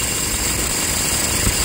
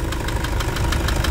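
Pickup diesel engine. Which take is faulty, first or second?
first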